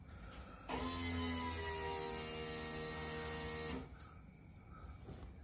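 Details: Chevrolet single-turbo race car, electric primer pump added to mechanical fuel pump mounted above tank (airlock issue); steady electric whine over low hum for about three seconds then cuts off, pressure reaching 50-some psi — normal electric priming pump.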